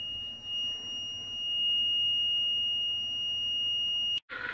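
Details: President Jackson CB radio, repaired for a mute USB band and missing carrier after the technician hunted a suspected shorted component: a clean, steady high-pitched tone holds evenly for about four seconds, then cuts off. The carrier is working properly again.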